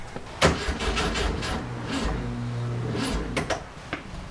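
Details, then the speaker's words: 1967 VW Fastback flat-four with an old coil fitted: starter turns it over in a slow even rhythm with no combustion catching, some coughing, and a hot-electronics smell; a fried ignition module is suspected. "still nothing they've seen some new oil on top of the engines that's that's great i'm not sure why it's fighting me it smells kind of like hot electronics in here it's not a good sign"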